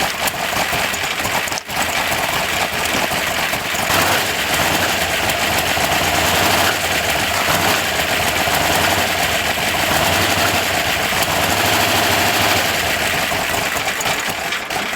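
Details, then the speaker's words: 1980 C10 Cheyenne with 400 stroker (377) and big cam, abandoned truck, run after starter jumped: rough lumpy uneven running before dying, not hitting on all cylinders, weak, no backfire; misfire, owner suspects timing, roller rockers still need adjusting. "definitely sounds like she's not hitting on all cylinders I don't know what's going on maybe it's a timing thing um not backfiring anything just sounds really weak"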